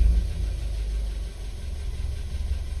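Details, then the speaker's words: Audi with smoking engine, at idle with slight throttle blips: deep low rumble pulsing unevenly, scanner showing misfires on cylinders 3 and 4; injectors suspected. "вот здесь я немножко подгазовывает слышно что иногда [музыка] она идут пропуски"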